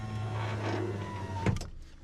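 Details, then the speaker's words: 2000 Ford F250 Super Duty 7.3 diesel power window, after bending the track back out: a steady, quick motor whir with no binding, now much faster, ending in a soft clunk at the bottom. Normal operation. "goes right down and it's so fast now what about one touch that's it wow I fixed my windows"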